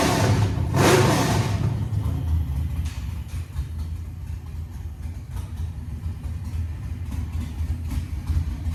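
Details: 1987 Monte Carlo SS with LS swap, 6.0 with CNC heads, 42 lb injectors, base tune, first start: one throttle blip then deep, steady, lopey V8 idle rumble, even and healthy, no tapping or knocking.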